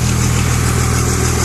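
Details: 2002 Cummins diesel idling loudly with a dull, rhythmic knock under the normal clatter, heard best near the dipstick; internal knock, cause not yet pinned down.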